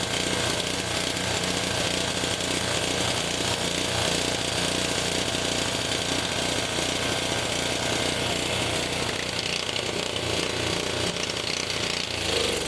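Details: Honda HS520 four-stroke snowblower running on hand-primed fuel: rough uneven chugging, loose pounding beat around two a second; only runs when primed because the throttle/choke linkage cap is stripped, and it surges, better on choke.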